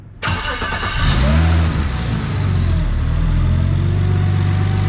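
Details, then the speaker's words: Stock BMW N54 after a compression test and misfire work, ignition reassembled and fuel pump reconnected. Cranks briefly, catches cleanly and settles into a smooth, even idle and revs; normal start and idle. "it feels clean man like it's not it's really smooth"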